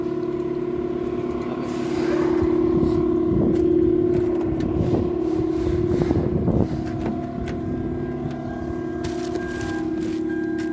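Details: 2006 Lexus GS350 that had a no-start problem with no DTCs (relay/starter not working); the engine now starts and holds a smooth, steady idle with an even hum, only some handling scrapes around it, running normally.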